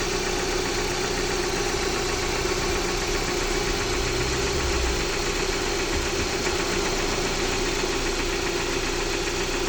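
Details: Jeep Patriot 2.4, knock appeared a few days ago, sound unchanged as it warms up: steady idle with a fast even tapping that follows engine speed; engine knock, cause unknown.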